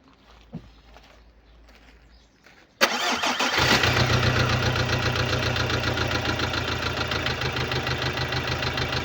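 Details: 2015 Subaru Legacy BR 2.0 diesel (1998cc, 110 kW/150 PS, code FB20), 146,842 km: cranks, starts and idles with fast light ticking from defective hydraulic lifters, a valvetrain fault.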